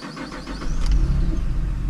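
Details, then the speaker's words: 2010 Camaro V6, manual, 110,000 miles, original exhaust: brief crank, catches at once and drops into a quiet, smooth, even idle with no ticks or knocks; healthy engine. "Starts up. Runs super quiet, super smooth. I seriously cannot even feel that this engine is running. That's how smooth this car runs."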